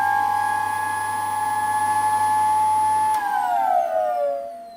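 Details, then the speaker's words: Old Dyson ball vacuum cleaner recovered from the tip: steady piercing high whine at full speed, sliding down in pitch as it coasts to a stop; whining motor, owner unsure whether it is a bad seal. "I'd turn this one on just before the video and this sounds bloody awful it really turns it's so whiny"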